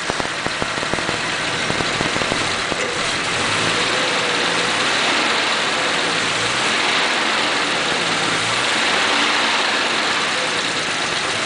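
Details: 1941 Pontiac, fully warmed up, oil pressure about 40: uneven, stumbling beat with occasional skipped firing pulse as a valve hangs up; sticking valve misfire.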